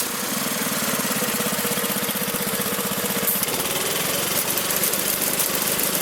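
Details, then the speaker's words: 1983 Briggs & Stratton single-cylinder engine on a Magna air compressor that sat five years: runs smooth and steady with even quick chatter, no knocks or misses, reaching 100 psi. "well guys it runs awesome gets up to 100 psi i might pop that up just a little bit higher closer to 120"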